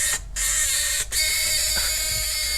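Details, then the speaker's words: 1979 Ford Fox-body coupe key-in-ignition warning buzzer sounding whenever the key is in: harsh, raspy electric buzz that briefly cuts out and shifts frequency; normal original buzzer. "this is an early ford buzzer they started using i'm not sure when but it's obnoxious listen to that sound and on top of that it changes it'll change frequencies"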